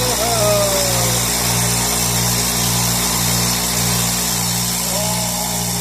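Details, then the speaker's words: Craftsman oilless 60-gallon air compressor, first run test after repair: steady motor hum with fast even pulsing about two and a half strokes a second; it works, running smoothly. "Success. >> Holy It works. >> It works. It works."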